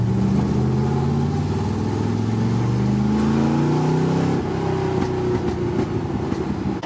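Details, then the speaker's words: 1974 Corvette V8 under load on long drive at operating temperature, drag-race prep: deep clean pull, pitch climbing smoothly, no knocks, ticks or rattles; not overheating, good oil pressure, alternator charging, no leaks; healthy engine under load. "it's not making any funny noises I stopped a bunch of times just to make sure it's not leaking this thing I is ready to race"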